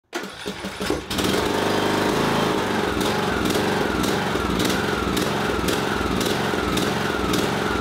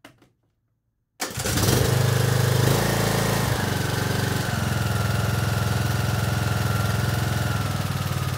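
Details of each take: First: Briggs & Stratton 17.5 HP mower engine catches and surges, revs rising and falling in a restless pulse, from a clogged carburetor pilot jet. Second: Briggs & Stratton 17.5 HP mower engine after cleaning the carburetor to cure surging: starts after a second of silence and settles into a smooth, even run without surging.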